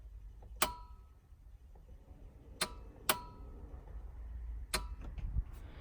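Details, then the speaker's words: Volvo 850 with new high-power fuel system (Bosch 044 pumps) in test mode: four sharp, separate relay clicks a second or two apart as the fuel pump relays pull in cleanly. "So you should be able to hear all the relays click on when I do. I got my test mode on, and I'm basically just going to turn the fuel pump on."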